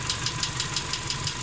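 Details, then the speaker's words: Engine warm-up: crisp, light, evenly spaced ticking about six times a second over a quiet idle, starting about 1.5 minutes after start-up; a noisy hydraulic lifter. "Вот он начинает стучать. Это он."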